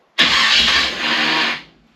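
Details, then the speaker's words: Nomad's brand-new mini starter gives a harsh, high whirring grind for about 1.5 seconds without the engine catching; owner suspects it may not be shimmed right. Starter noise. "this thing has a mini starter on it which is actually brand new maybe it's not shim right"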